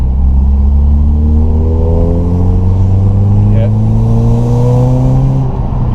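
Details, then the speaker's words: 2009 Subaru Impreza, warm, after exhaust leak repair, Borla muffler, accelerating: engine note climbs smoothly and strongly, no stumble; earlier loss of power now gone, normal acceleration. "Yeah, she has definitely that loss of power is That woke her up. been removed."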